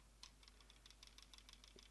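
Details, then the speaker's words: Ijoy Zenith 3 vape mod shaken: quick, uneven light clicks and tiny rattles as the loose buttons knock in their openings, a recurring rattle flaw across recent Ijoy mods. "this one still rattled i joy you really have to fix this rattle problem because your devices are so solid so nice"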